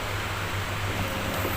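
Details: Thai household fan, old unit brought in for repair after it went dead with no power; after repair and reassembly, steady low hum with even airflow and no rattle, scrape or wobble: fan motor runs normally.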